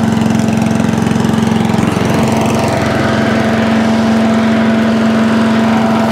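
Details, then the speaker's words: Allen chipper leaf shredder's small single-cylinder petrol engine, started stone cold on choke after carb cleaned twice: steady even speed, constant buzz, no misses or surging; now starts and runs normally. "car has been cleaned twice I put for onic cleaner in in this in this video uh or prior to it and it's now working starting off its own back"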